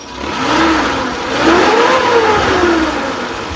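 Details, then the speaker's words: 2002 Suzuki Carry Futura Realvan GRV engine revved from idle to high RPM: smooth even rev climb and fall with a light metallic "teng teng" ting typical of the Futura engine; no coolant mixing, engine sounds healthy and normal. "kita naikkan RPM juga suaranya tetap normal ada suara teng teng teng teng teng itu memang ciri khas Futura seperti itu ya"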